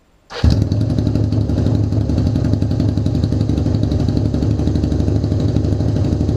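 Starter spins briefly, the twin catches at once and settles into a steady, even idle; the starter engages cleanly and all sounds healthy.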